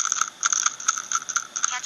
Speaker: did you know you can actually hear a plastic piece rattling